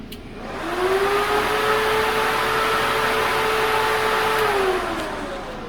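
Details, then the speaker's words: Auxiliary radiator fan on a blown big-block engine build, switched on at about 17 volts with no coolant in the system: a smooth whir climbs as the fan spins up, holds strong, then winds down. Normal fan operation. "oh yeah wow that thing's moving some air and that's just one fan"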